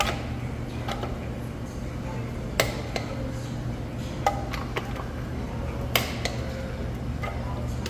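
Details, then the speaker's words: 2005 Toyota 4Runner (4th gen) after rear lateral arm and shock work: lug nuts torqued in star pattern, sharp single clicks every couple of seconds over quiet shop hum; torque wrench clicking at set torque. "Always, always, always, always torque down the lug nuts. Again, following the star pattern, go till you hear the click."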